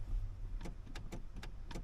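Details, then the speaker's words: 2008 Chevy Silverado 1500 idling, brake pedal position sensor being tested: a few crisp single clicks on each pedal press, activating cleanly without chattering; normal brake pedal switch operation. "I hear it activate when I press. I don't hear it clicking and switching and going crazy."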